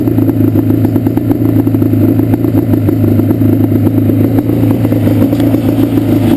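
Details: Yamaha Banshee two-stroke twin with a lumpy, skipping, chuffing idle from a left-cylinder misfire, pipe not warm at idle; carbs rebuilt, balancing attempted, air screws adjusted, problem does not follow the plug; cause unknown.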